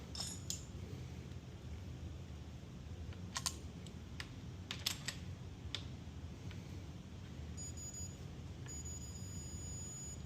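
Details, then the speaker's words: Low hum, tightening clicks, then a short repeating high beep as a torque wrench set to 18 lbs reaches set torque on a ductless mini split flare nut. "Perfect. Hear that little beep. Time to stop."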